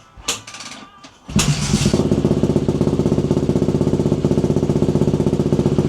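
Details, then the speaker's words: KTM enduro bike, previously unstarted for about a year, after carb cleaning, air filter sorting and throttle cable adjustment at the carb. It fires cleanly after a short kick and settles into an even, crisp beat with no misses; starts well, throttle crisp. "Also, the main point of the video, the bike now starts really well. And the throttle is very crisp, as you can see in the video. So that bit is running bang on."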